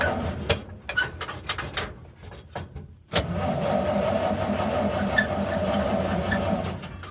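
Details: 1946 Chevrolet pickup, straight-six with carburettor and electric choke, on a cool 35-degree morning with a battery jumper attached: steady starter churning for several seconds with no catch; it cranks but won't fire, possibly flooded, fuel or ignition suspected.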